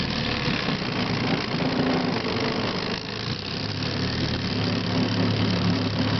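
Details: 1967 Evinrude Sportwin 9.5 outboard, new impeller, carburetor redone, test run on a Lumacraft T14S carrying about 575 pounds: even buzzy two-stroke drone holding steady under load over water and hull noise; running smoothly.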